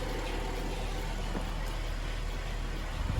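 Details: 2010 GMC Acadia 3.6 V6 after replacing timing chains, sprockets and VVT actuators (right intake cam had been out of time): low, even idle with no ticking or rattle, high-pressure fuel pump audible; normal idle.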